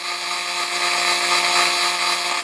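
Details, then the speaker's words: Roland MC-505 groovebox main output on pattern 12: after a while a steady buzzing drone with a stack of fixed tones starts and continues even after pressing stop; electrical hum, cause unknown. "After a little while, it just starts this humming."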